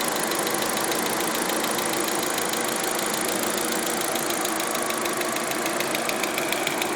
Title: Audi a4 weird ticking noise 3